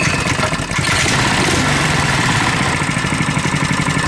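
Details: Coleman KT196 go-kart single-cylinder engine, no governor: putters along at a fast, fairly steady idle around four beats a second; runs clean with no misses.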